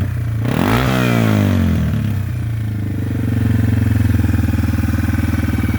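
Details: Yamaha TW200 just after valve, carb screw and clutch adjustment at a shop: catches quickly, blips up, then settles into a steady, even single-cylinder thump with no stumble or ticking; normal idle and revving.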